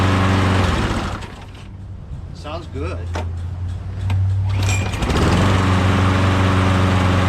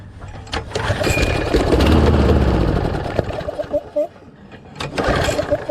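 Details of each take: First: Lawnmower engine, sat in a shed about a year, primed and fresh gas added: catches after a few pulls, holds a steady even drone with no misses, then shut down, normal running. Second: Briggs Quantum mower engine with auto choke that won't stay running; magneto checked out and owner suspects low compression: catches and runs rough about two seconds, then sags and dies leaving weak chuffs.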